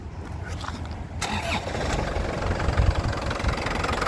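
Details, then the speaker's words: 2009 Isuzu Panther LS Turbo diesel, dry engine with no oil seepage: starter catches quickly, steady, even diesel clatter with no misses, healthy start and idle. "ya mesinnya suaranya masih enak tenang stabil masih renyah ya kaspentter tidak pincang ya masih stabil suaranya enak"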